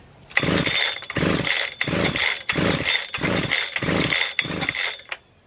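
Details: Husqvarna 3120 XP chainsaw, choke pulled out: six short rasping pull-start bursts about 0.7 seconds apart, never catching; gasoline all over it, flooded engine.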